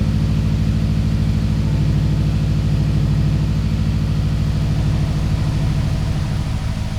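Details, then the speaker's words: 2004 Subaru STI boxer engine, started after sitting over 2 years, warming up: low, smooth, steady idle burble with an even beat, no misses or knocks; healthy idle. "And And with the door open, a final check done on the car, it's finally time to go ahead and start the STI. And just like that, it started up without a fuss."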